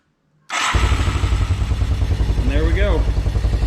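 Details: 1984 Yamaha YTM200 that sat for years, after carburetor cleaning, float reinstalled, new fuel lines and fresh fuel: it catches at once and settles into a steady, even single-cylinder putter with no misses. Normal running; it was a plugged carburetor.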